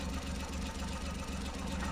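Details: 2014 Suzuki Every three-cylinder engine with code P0301 and a blinking check light: low, uneven, lumpy idle with a faint irregular knock; cylinder 1 misfire, injector pulse intermittently dropping out, traced to a leaking valve seal.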